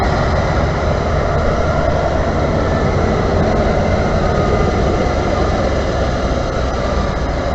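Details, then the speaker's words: 1991 Ford F250 4x4 with 5.8 351 Windsor V8 and 5-speed manual, restrictive exhaust: steady rushing fan roar over a barely audible V8 idle; radiator fan noise masking a quiet, restricted idle. "Let's listen to the engine. All you hear is a fan. You would be shocked to know this is supposed to have a V8 in it, but it sure as hell don't sound like it."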